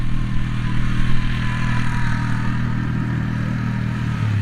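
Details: Polaris Magnum 325 single-cylinder ATV that was starving for fuel, running lean and backfiring, now with the correct air cleaner fitted, on a test ride. Steady thump that pulls cleanly at light throttle with no popping, surging or lean stumble; running normally.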